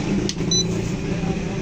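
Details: AC/DC ceiling fan kit whose AC mains section is dead, running on its 12 V DC section: smooth steady low hum, no scraping, clicking or wobble; DC side works properly.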